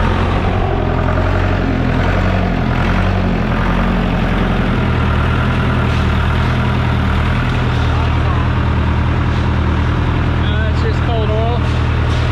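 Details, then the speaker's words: John Deere 455G crawler loader diesel idling steadily with even clatter, no misses, after the flywheel-housing ground was cleaned and hot wires run to the disconnect; no-start blamed on ground, starter and other issues; now normal idle. "well she fired back up brand new i think that was a combination of ground and starter and all kinds of stuff"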